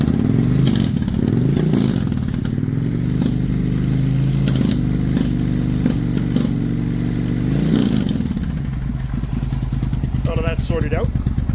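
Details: Suzuki Intruder 1400 V-twin, still fairly warm, with the rear carburetor that was not getting fuel: low, even idle with two clean throttle blips that rise and settle smoothly, no misfire or stumble; normal revving.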